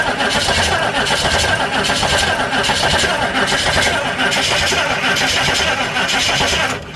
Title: any help out there, please, after replacing the timing, won't starting I don't know why